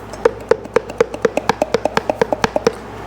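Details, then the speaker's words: Removed blower motor from a 2006 Jeep Liberty CRD turned by hand near the microphone: sharp hollow clicks about four times a second from shaft play; it squealed over bumps, the new one has no play. "So, this thing would run fine for a while, but as soon as you would hit bumps, it would just start squealing. Yeah, I can hear it squeaking right now. So, that is toast."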